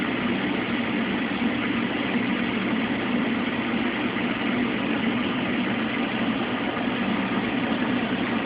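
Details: Mueller Special washer, first rinse of two on a Quick cycle with a big duvet, high water level, no spin between rinses: steady, even churning drone, no knocks or scrapes; any electrical buzz is a nearby lamp. Normal rinse agitation.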